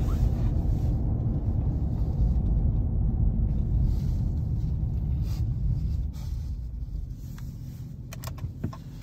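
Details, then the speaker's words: 2021 Ram Limited truck on factory air suspension with 33x12.5 tires on 22s and a Borla ATAK exhaust, heard with the windows down under acceleration: a deep steady growl that eases off smoothly, no rasp, drone or rattle. Loud enough without being obnoxious, a normal exhaust note. "so also gotten a couple questions about is the borla attack is that exhausts like really loud and obnoxious and as you can hear has a nice good sound to it um i would highly recommend it sounds good gives you just enough growl without being annoying when you're driving"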